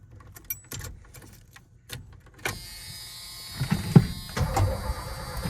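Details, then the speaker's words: 1980s Ford F-250 bullnose with big-block engine, after fitting a new starter relay in place of a bridged, seized one: a few clicks, then the starter turns the engine over with a steady, strong churn; cranking sounds healthy, engine not yet running. "That sounded pretty good. I just wanted to stop it just cuz uh you know, I'm just getting uh excited. That actually sounds really healthy now."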